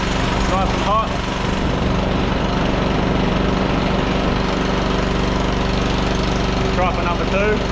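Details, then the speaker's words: 1500 W auction generator powering a heat gun on setting one (1350 W): small engine drums at a steady pace, no bogging or surging, light bench rattle; holds the load fine. "so we'll see if we can run this good all right that's on number one seems to be running it fine"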